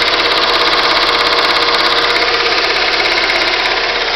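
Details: Steady, regular engine knock of about 200 per minute riding over the running engine; the cause is unknown.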